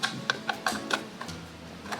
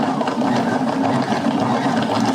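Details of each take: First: Wool yarn winder cranked by hand before disassembly: irregular sharp ticks, about five in two seconds; gear clicking, internal gearing feels loose. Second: Yarn ball winder (ovillador) after the fix, test-winding thread: even light gear whir and steady clicking with no catching or grinding, then it slows and stops; working fine.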